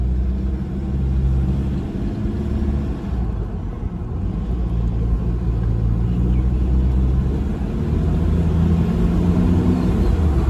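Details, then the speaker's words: 2009 Toyota Prado 120 diesel, just over 400,000 km, aftermarket exhaust, on road test heard with window down: steady low diesel drone, even and smooth with no knocks or rattles; very good, healthy, clean running engine. "It's a very good, healthy sounding, clean running engine."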